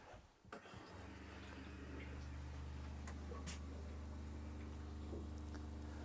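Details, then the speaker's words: New Seaflow 42 series caravan water pump with an accumulator tank, after installation: a low, steady, smooth hum measuring about 54 dB, 8–10 dB quieter than the old Shurflo. Sounds normal. "so we can see there it's around about that 54 mark so that is considerably quieter than the uh the previous Shore flow"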